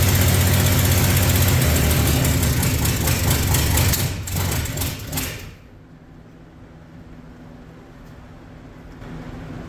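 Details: 1965 Mercury Comet Caliente, not run in 10 years, run on fuel fed into the carburetor after its timing was retarded slightly; a loud rumble settles to a steady, smooth idle with no clatter or knocking, so the engine is judged probably good.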